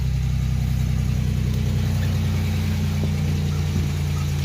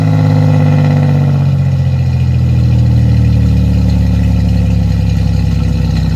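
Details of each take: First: 1987 Chevrolet Celebrity Eurosport 2.8 V6, 237k miles, cold start after installing MagnaFlow high-flow catalytic converter and all-new exhaust with dual-outlet muffler: deep even idle, smooth low exhaust note, no stumbles or rattles; much better than before. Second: 1987 Chevrolet Celebrity Eurosport 2.8 V6, 237k miles, cold day, before catalytic converter install, running poorly: loud low raspy exhaust drone with rough pulsing and pitch drift at idle, with fuel smell; open pipe without catalytic converter.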